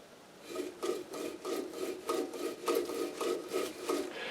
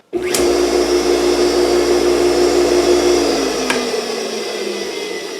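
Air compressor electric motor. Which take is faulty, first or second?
first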